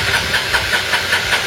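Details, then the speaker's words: Motorcycle with hidden engine kill switch turned off: self-starter cranking evenly about five beats a second, never catching; engine turns over but won't start until switch is turned back on. "ఎంత కొట్టినా start కాదు. ఎంత కొట్టినా బండి అయితే start కాదనమాట. మళ్ళీ మనం ఈ స్విచ్ అనేది ఆన్ చేస్తేనే బండి అయితే స్టార్ట్ అవుతుంది."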